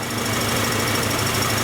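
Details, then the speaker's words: 1994 Acura Integra 1.8 L DOHC, warmed up. Slight flow is still felt through the cold fast idle valve, but covering it does not change idle speed. Steady, even idle with no hunting or surging: normal warm idle. "this thing warmed up, and I still feel a little bit of flow through this cold fast idle valve. Although with my finger over it, it's not really changing the idle speed."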